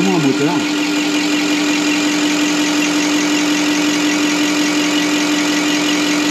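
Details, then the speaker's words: Deutz V8 diesel injection pump from the MAN Kat truck, which could only reach 50 km/h, run on a test bench: steady, even mid-pitched drone at one constant speed, no knocks, sounds like a V8 engine, normal operation. "voici la pompe. on dirait vraiment un moteur v8 qui tourne là. Je ne pensais vraiment pas que ça faisait un bruit de moteur,"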